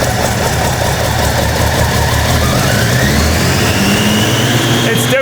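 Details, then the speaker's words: Toyota Land Cruiser 80 series after new spark plugs, secondhand alternator, airflow meter swap and loosened distributor for timing: steady idle, no rev hunting, but lumpy stumbling firing, then stalls; misfire, owner suspects a faulty secondhand injector. "not rev hunting anymore, but it does sound like we're going to misfire. Oh, and it just died."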